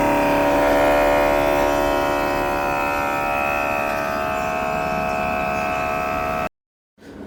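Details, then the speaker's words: Air conditioner outdoor unit, heard from behind: a loud multi-tone drone with fast pulsing about four per second. The compressor is making an abnormal noise; repair was judged too costly, and replacing the AC was advised. "इसका जो problem है compressor sound कर रहा है।"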